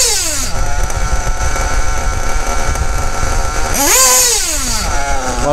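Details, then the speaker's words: Kyosho RC nitro engine being tuned: a high buzzy idle, then on a throttle blip it climbs and falls with a slight stumble pulling off idle. After idling 5–6 seconds, a low-rpm flat spot (hesitation) remains; the low-speed needle is being closed slightly. "quand on reste encore 5 6 secondes au ralenti, il y a encore ce petit palier."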